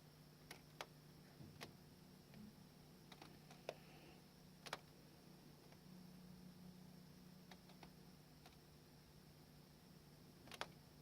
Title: Sony Bravia TV clicking noise